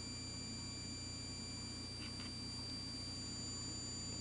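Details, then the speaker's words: Joule thief circuit on a small salvaged toroid, run from a roughly 1.3 V battery and lighting a neon lamp: a constant thin, high-pitched whine with several steady tones. The toroid sings as the circuit oscillates normally. "now I'm going to apply power to the circuit and you're going to hear the oscillations coming off the the toroid you're going to hear it winding in a minute"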